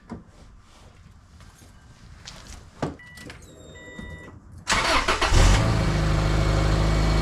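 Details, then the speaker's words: 2003 Subaru Legacy Wagon after leaking exhaust was patched with J-B Weld wrap, exhaust wrap and baling wire: starter cranks, engine catches into a steady, low, even idle with no exhaust rasp or puffing; formerly very loud, now quiet; normal idle. "Before it was super loud. It sounded like an STI. Now it's nice and quiet. I can barely hear it."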